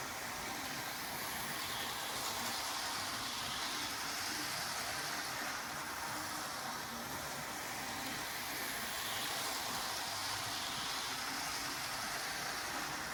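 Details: Hornby R693 High Speed Train set from around 1990, HST running laps of the table: smooth, light high-pitched motor whir with soft, even rail clicks; the small motor runs freely and evenly, normal running.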